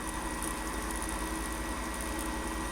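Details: Fogger 3 pump pushing out dirty residue, with fluid coming through the line. A steady, even low buzz with a fine regular pulse and no stutter or strain; the pump is running normally.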